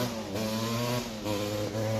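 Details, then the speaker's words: Suzuki LT250R two-stroke quad after its carb was rejetted. Under throttle it revs but breaks up and drops out every half second: a misfire. "still breaking up still breaking up bad huh interesting yeah it's running bad"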